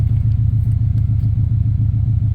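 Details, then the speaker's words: 1994 Subaru Impreza WRX turbo, stood 16 years as a barn find, engine refitted and running after restoration: deep, even exhaust rumble with steady low pulses and no ticks, knocks or misses through a large exhaust; smooth normal idle. "So, engine's all back in and running as you can see, which is pretty impressive. It sounds really good. Runs nice. Yeah, just super smooth."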